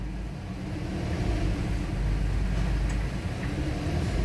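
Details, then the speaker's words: 2013 Porsche Cayenne VR6 at idle: RPM rises toward 1500 then sags back with a shaky, unsettled vibration, no fault codes on diagnostics, rough shifting linked to unstable idle; failing PCV valve in the valve cover. "المحرك ديالها، سمعوا المحرك كيفاش كيدير الفيبراسيون وماشي ثابت."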